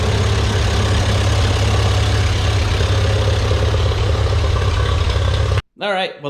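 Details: Ferguson TEA 2085 four-cylinder tractor, thought to be a 1951, reassembled after repair; steady, unhurried even low thrum, no misses or knocks; all fixed up; normal running.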